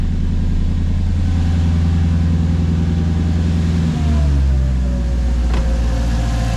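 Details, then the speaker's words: Mercedes C55 V8 with new intake spacers, in neutral, first start with the cooling fan unplugged: deep, steady idle with an even low rumble and a slight change in note partway through; running right and healthy. "that sounds like it should oh man what a relief okay that sounds great let's let it run for a little bit"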